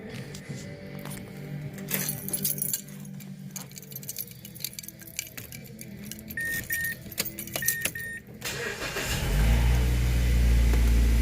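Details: 2010 Mazda 3 after replacing the dash air door actuator (Dorman 604-811): keys and cabin rustling, door chimes, then engine start and a steady fan blowing. The clicking it made every time is gone, so HVAC works normally.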